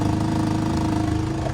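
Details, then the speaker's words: 2004 Chevy Malibu Classic, warm, after replacing a broken oil-pressure chain tensioner: a smooth, even idle with a steady pitch and a little metallic noise; it no longer stumbles or catches on rev-down; normal idle. "the important part is it's not catching itself on idle it just idled down like normal"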